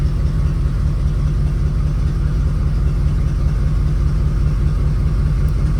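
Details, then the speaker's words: Classic V8 (1980 Corvette / 1983 Caprice) idling smoothly and evenly after new remanufactured alternator fitted and repositioned; charging now, battery about 13.6–13.7 V, no misses, ticks, whine or smells — normal idle. "everything looks all right no weird noises or smells that's always good"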